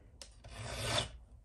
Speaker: It doesn't matter which side of the Raker you're on, it squeaks.